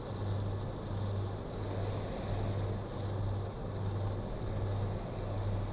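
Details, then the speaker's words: Sanken showcase refrigerator compressor, seized unit opened, repaired and reinstalled, running with amperage normal while slowly charging freon: steady low hum with even pulsing throb, nothing rough or rattling; running normally. "Nah, ini kita nyalakan kompresornya, lalu kita mengecek ampernya normal."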